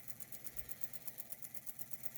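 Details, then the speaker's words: 3D-printed Newman motor with new commutator, running several minutes off a six-supercap bank (earlier run at 15 volts): quiet, even pulsing about six beats a second, steady rhythm; the motor runs smoothly and healthily. "anyway it's running off the super cap bank it's been running now for a few minutes and it's still running really good"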